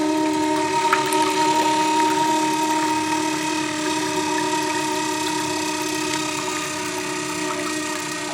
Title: Toilet Makes Strange Noise